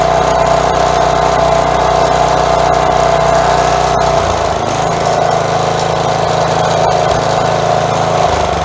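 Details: Four-horsepower Craftsman edger, single-cylinder, after replacing a sand-filled carburetor, first test, possible bowl gasket leak: steady, even drone with a faint high whistle and no surging; normal running.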